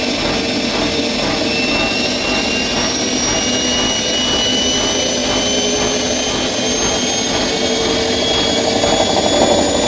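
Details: Bosch Maxx 6 washing machine after motor bearing replacement, drum bearings still good: loud steady roar with a rising whine and fast rumble throughout the high-speed spin; drum noise, which the owner believes means the drum is broken.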